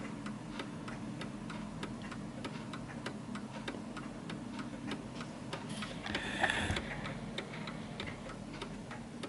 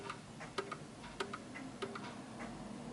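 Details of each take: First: 1940s Hermle (FHS) 8-day German Art Deco chiming clock on a purposely tilted surface, pendulum corrected by easing it left: steady evenly spaced ticks, movement now running in beat. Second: as you can hear it's ticking more than talking and it will come to a [Music] stop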